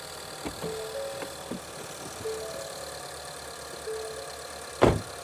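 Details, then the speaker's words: Ford Escape idling after spark plug replacement fixed intermittent cylinder misfire and check engine light: steady, even idle with no stumble or missed beats; engine now runs smoothly, misfire repaired. "Yeah, I like how this engine sounds. This is fixed."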